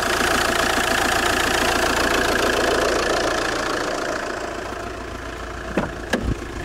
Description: JTD 105 weird creaking noise when engine is cold. Part 2/2.